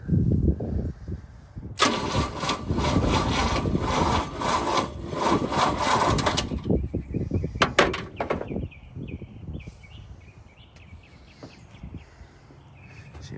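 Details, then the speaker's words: 1976 GMC C20 big block truck stored 30 years, new ignition fitted, cranked by jumping the starter directly: weak, slow starter grinds several seconds and never catches; crank no start, starter weak, connections and battery suspect. "We got spinach but no beans."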